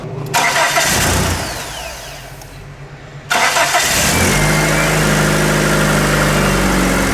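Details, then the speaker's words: 1996 Mitsubishi Eclipse after repairing damaged battery cables and terminals that caused a no-crank no-start: quick strong crank catches promptly and settles into a steady, even idle; starts consistently now, voltage drop about a tenth of a volt. "as you can see I can consistently start the vehicle now uh so I'm going to say pretty much that that was the problem it was all down to connections"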